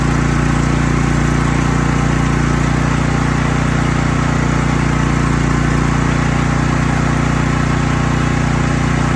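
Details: Troy-Bilt 8000 W electric-start generator just started ice cold on choke after months unused: steady even drone with smooth low throb, no misses or knocks; running healthy while warming up.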